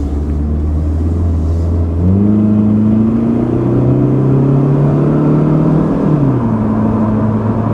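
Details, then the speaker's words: Pontiac Sunbird 2.0 L OHC, about 1989–1990: it pulls cleanly through the revs with a smooth rising tone and clean gear steps, running strong and even to highway speed. Normal acceleration. "if she gets going like it's nobody's business now I mean it's not fast it's it's a 2.0 L overhead cam Pontiac Sunbird from like 1989 1990"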